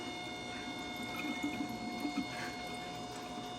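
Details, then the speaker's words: 2003 Mustang Cobra, new intercooler pump jumped after replacement for no coolant flow: a steady faint electric hum as coolant pours and gurgles into the supercharger reservoir; the pump runs and moves coolant normally. "All right, let's jump this pump and see if it turns on. Yep."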